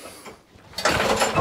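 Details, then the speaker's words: Mazport lawnmower with Briggs & Stratton Quantum engine, no start and no spark, pulled with the dead-man lever held on one side of the handle: quick ratcheting recoil whirr with no firing at all; the dead-man cable is at fault. "no start. Guaranteed no start. But if I then pull the cord on this side of the handle, it starts. So over this side, no start. This side, starts."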